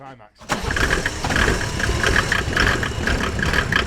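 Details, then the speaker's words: Mercedes OM606 diesel in a Land Rover build, first start after fitting the injection pump and turbo: regular chuffing crank labouring before it catches; glow plugs not yet wired, suspected cause of the slow start. "So, I think that would have started a lot quicker with the uh with the glow plugs. Yeah, I think she's uh finding she really wants the glow plugs connecting."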